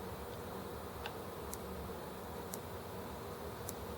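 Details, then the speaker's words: ET engine turned by hand after ignition retiming via the magnet trigger disc: quiet, sharp single clicks at uneven intervals, each the spark firing. Ignition triggers fine. "So it clicks the spark right there."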